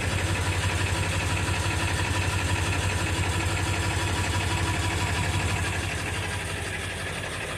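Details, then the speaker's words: 1999 Ford F350 7.3 L turbo diesel, 217,000 miles, cold start on a summer day: rough, loping, uneven idle clatter about three beats a second, settling slightly; oil burner with smoke, improves warm but never disappears; cause unconfirmed. "it does improve as the vehicle warms up but never disappears"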